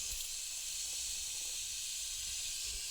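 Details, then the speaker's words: Bialetti Mukka Express 2-cup cappuccino maker not locking tight: steady high steam hiss with no coffee gurgle, all water escaping as gas around the upper–lower joint; coffee never rises, dangerous, every trial. "All the water comes from gas and goes between the two parts. And this is becoming really dangerous actually."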